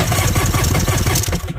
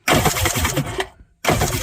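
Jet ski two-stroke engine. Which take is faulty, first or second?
first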